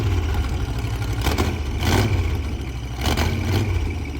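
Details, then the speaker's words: Broken monster truck labouring low, then a few sharp metallic bangs about a second apart; something in the drivetrain snapped, cause unconfirmed. "Did you feel something? Yeah, the whole truck shut. Something snapped. Yeah, something shut."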